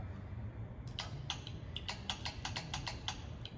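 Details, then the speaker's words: 1979 Ford L-600 service truck that sat 17 years in a barn: the rear winch solenoid clicks in quick dry bursts but the motor never turns. Owner suspects the winch motor is stuck. "Nothing, huh? Nothing, but it's the solenoid's clicking. Oh, it is? Yeah, hear it?"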